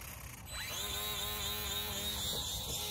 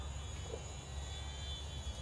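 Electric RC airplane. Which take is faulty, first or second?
first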